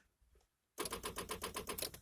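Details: 1993 Chevy Camaro Z28: a quiet start, then a fast, even, sharp metallic clicking at about eight clicks a second. Cause unknown.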